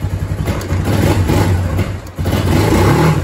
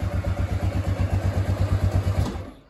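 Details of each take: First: Kawasaki Bayou 250 ATV after a carburetor replacement, cold, on choke with old fuel still in it: single-cylinder revs and drops back cleanly with a crisp exhaust note; idle may need a slight bump. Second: Kawasaki Bayou 250 ATV after carburetor replacement, still cold with the choke on and old fuel in the tank: single-cylinder idle thumping slow and slightly uneven at about nine or ten beats a second, then fading; idle may need bumping up a touch.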